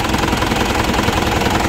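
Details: Diesel that cranked but wouldn't start, traced to cut wire feeding the fuel shutoff solenoid, now powered: steady, even clatter at constant speed with no misses; normal running.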